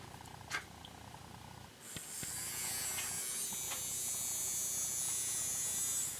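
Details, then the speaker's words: Kamco Saturn/Iron Man toy robot from the early 1980s, motor tested after cleaning out grime blamed for the noise: small electric motor spins up to a high, even buzz without rattles or stutter; much better, running normally. "Much better."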